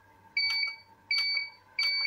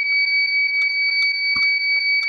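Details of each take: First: Visatec Logos 1600 monoblock studio flash after repair of Error A2 (not firing): three identical high, clean beeps about 0.7 s apart as it fires and goes straight to ready, a normal ready signal with no fault. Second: Visatec Logos 1600 studio monoblock flash at highest power, bulb still good: it won't fire and only repeats steady high-pitched warning beeps with faint clicks, showing error A2; suspected causes include unstable mains, age, rapid shooting, high power, dirt shorting circuitry.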